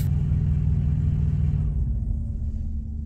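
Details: Thermo King Evolution TriPac truck APU powering down unexpectedly, shop suspects a temperature sensor: low diesel rumble runs steadily, then sags and fades away as the unit quits on its own; cause not audible.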